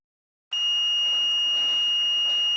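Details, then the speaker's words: EGO LM2130SP lawn mower handle rotation switch, service cover removed: single steady high beep of about two seconds as the multimeter on continuity mode confirms black and red wires connect with switch engaged; switch closes properly. "Set the multimeter to continuity mode. Engage the switch and check the continuity of the black and red wires."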